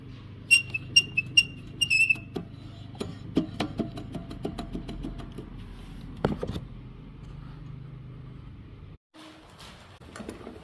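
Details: Husqvarna 700F lawn mower with Honda GCV160LA0-S3B engine gives sharp high squeaks with each pull of the starter cord and won't start; cause is a worn flywheel cooling fan, replaced with OEM part 19511-Z8B-900.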